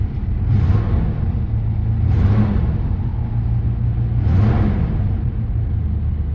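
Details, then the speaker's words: Four-wheel-drive vehicle with 132,000 miles, started on roughly five-year-old fuel: deep, steady low rumble with a gentle swell about every two seconds, otherwise an even, healthy idle; very good oil pressure and good battery voltage; normal idle. "up and it's started it's really good oil pressure extremely good oil pressure"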